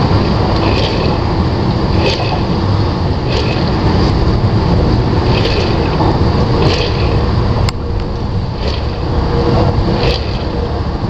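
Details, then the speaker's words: 1996 Jeep ZJ drivetrain, heard lying under the vehicle at the transfer case: heavy rumble with a faint scraping chirp about every second; front wheel bearing and axle shaft have no play, no leaks, and the owner thinks it sounds like the chain. "it just sounds like the chain moving arou"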